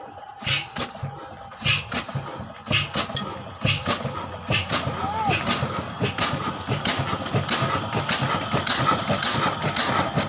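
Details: Old 22HP 275RPM Kala single-cylinder diesel, hard starting in cold weather, catches on the third attempt. Slow, heavy, evenly spaced thumps settle into a steady low-speed beat; normal running.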